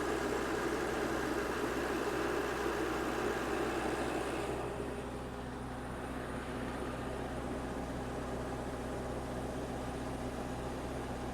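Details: 16 kW diesel generator after a self-done valve job, head gasket still to fix, primed and started: steady idle with an uneven, lumpy beat, about four pulses a second, then a quieter stretch. Owner suspects a misfire, possibly the third cylinder, unconfirmed.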